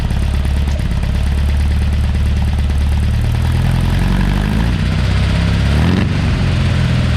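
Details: Porsche 912 flat-four just rebuilt (mild cam, minor head work, new old stock Solex carburetors, good exhaust, otherwise fairly original). Oil pressure 60 psi cold, about 38 psi hot at idle. Smooth, even idle that rises cleanly when revved and settles back, no knocks or rattles. Healthy running.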